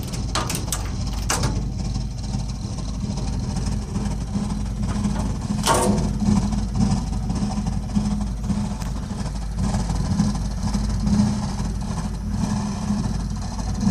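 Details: Burnham Alpine boiler with a continuing loud-noise problem: constant low droning rumble with a steady hum underneath, loud throughout; the burner is running noisy, cause unclear.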